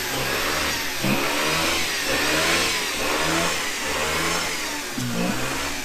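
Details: Flooded 2006 Mazda RX-8 rotary, cranked with starter held engaged and feathered throttle: uneven revving surging and sagging about once a second, smoking, as it stumbles burning off excess fuel from a flooded start.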